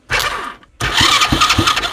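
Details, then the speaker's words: Used Chinese 125cc engine, rewired and on a 12-volt motorcycle battery, oil leaking at seals and head gasket: two short cranking bursts with an even chug of compression strokes, so the starter turns freely with compression. Normal cranking. "So we've got a starter that works. It sounds like we have compression."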